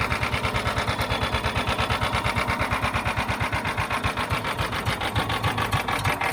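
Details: A John Deere Gator 4x2 that had not started in years, started on choke after its fuel pump was heard priming: a quick, even putter at steady idle with no misses or knocks. The small single is running cleanly.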